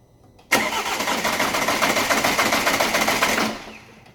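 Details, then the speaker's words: Alfa Romeo Giulietta diesel after rebuild, cranked with a sensor disconnected to circulate oil, no engine mount: starter churns three to four beats a second without catching; no start, possible valve damage suspected. "so it's not going to start when I do this I just need to crank it to get the oil circulated around it shouldn't start because of disconnect see one of the sensors"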